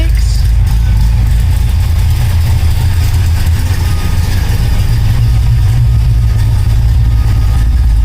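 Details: 1972 Oldsmobile Cutlass idling after an electric fuel pump install, fed through a relay on low gas, with the AFR reading good and no leaks. Steady, even low rumble with no misses, knocks or hunting; the engine idles smoothly and sounds healthy.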